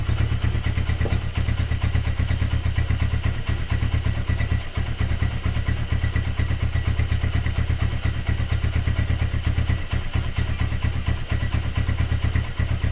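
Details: Honda GL100 after rebuild to about 160 cc with Megapro piston, gear changed 40 to 36: single-cylinder idles with even low thump about two beats a second, no knock or rattle; light exhaust, sounds healthy.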